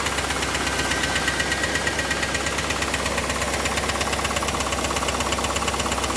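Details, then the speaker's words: Chevrolet Camaro IROC engine running, mic moved around the engine bay to find direction: steady fast clacking tick about three per second over the idle, under general ticking; source unclear, glittery oil previously seen. "There's so much ticking and clacking going on. But try to listen in for that clacking noise that you're going to hear underneath the ticking, because it is there."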